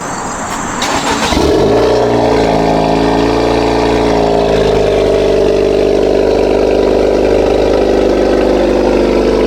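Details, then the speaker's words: 2.0 Honda Accord just after a PRL catless downpipe install, not yet tuned, cold start: cranks briefly, catches and settles into a steady fast idle with no ticking or puffing. No exhaust leaks heard. "That was a cold start. So far I don't hear no leaks, so I don't hear any leaks at all."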